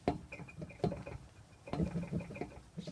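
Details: Suburban with N-Fab step bars on loose carriage-bolt mounts: short creaky squeaks in bursts about once a second as the bar is rocked; bars move around too much, to be remounted more solidly. Loose step bar squeak.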